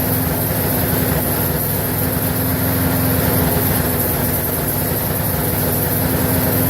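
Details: Briggs & Stratton 4.75hp engine, possibly on a Craftsman mower, that previously didn't run and reportedly died 10 minutes after an earlier fix, now repaired and being run to see if it lasts past a minute; smooth, constant hum with no stumbling or surging, normal running.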